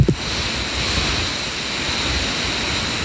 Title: Lenovo Y740 Bios update, loud fan noise